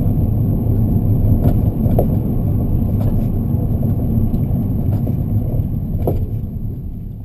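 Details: BC Racing coilover kit, rear left, knocking after under 4 months of use: irregular dull knocks over road rumble while driving. Tightening and height or preload changes didn't help. The distributor found the shock cartridge failed and replaced it under warranty.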